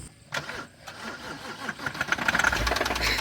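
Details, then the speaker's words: BMW engine about to be run to destruction: it fires, then fast, fairly regular ticking and knocking rides over the idle; lifter tick and engine knock. "my m52 has suffered catastrophic damage and it's not getting any oil so we're about to set it off with a bang and ironically this engine too we got some good lifter kick going on over here"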